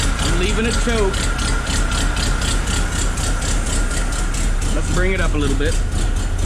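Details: Willys jeep engine just started, cold, on choke, in neutral with revs raised slightly, after a fuel leak at a fitting; the alternator is not charging. Lumpy, uneven idle pulsing about four times a second with a faint squeal. Rough idle.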